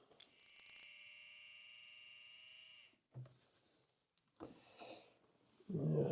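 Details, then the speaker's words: Hornby R2309 King Class King George VI model locomotive, motor tested on its own after cleaning and lubricating the gears; owner reported noise running forwards: thin, steady high-pitched whine for about three seconds, then cuts out; motor runs but sounds rough and worn. "it's not the greatest motor in the world."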